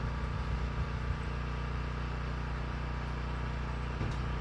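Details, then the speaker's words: 1972 Ford F250 truck with a carburetor, just started: low, loping idle with an irregular stumble at about three beats a second; running poorly, with a clogged carburetor suspected after sitting in a garage. "Alright, let's let it run. It's not like it wants to run, so let's see if it'll do that. It's not good."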